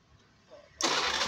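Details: Carburetted Honda Beat scooter whose electric start was totally dead, fixed after a broken yellow-green starter-button wire to the CDI was bypassed with a long jumper wire: brief starter whirr, then fires at once into a loud, steady idle.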